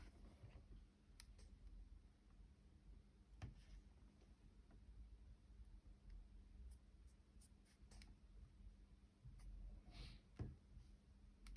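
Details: 2-day-old 2021 MacBook Pro 14-inch: faint irregular sharp ticks, clicks and small creaks when the palm rest is touched or pressed; cause unclear.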